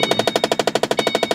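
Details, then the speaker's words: Car won't start, suspected after going through a big puddle in rain, and left to dry; battery level, temperature and fuel all read fine; fast sharp clicking about ten times a second with no cranking, cause unknown: rapid clicking, no crank. "Come on. Oh my god, no. Didn't turn on, guys."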